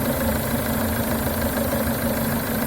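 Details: Renault Duster 2.0 idling after cleaning the crankcase ventilation valve and refitting its original membrane: steady, even idle, smooth low hum, no squeak or whistle; normal idle, though the noise later returned at speed.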